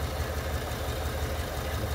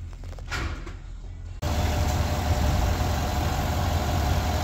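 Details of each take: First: 2021 Chevy Suburban 5.3 V8 with codes P0300 and P050D: lumpy, uneven idle as cylinder 2 deactivates and stops working after start-up, a single-cylinder misfire. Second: 2021 Chevy Suburban 5.3L V8 after repair of a cylinder 2 misfire (P0300, P050D), where cylinder 2 had been dropping out: an even, stable idle with all cylinders working and zero misfire counts.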